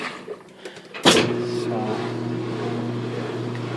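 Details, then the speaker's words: Kenmore 300 Series washer, about 8 years old, previously full of water and not draining, partly reassembled after fix: click and clunk then steady even motor hum as it drains and spins normally. "Take it over to spin. And it's running. That's a good sign."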